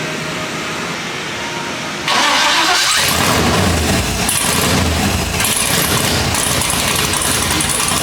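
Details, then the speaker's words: LSX-swapped Datsun 280Z at start-up: the engine fires and settles into a loud, lumpy idle; the owner suspects the idle is too low and needs bumping up, having run on only a couple of cylinders at the first start. "So I think the idle needs to be bumped up because I was holding it just a tad bit. No, but even just when we did the first start, it didn't sound that loud. Because it was only running on like a couple cylinders because I think the idle's too low."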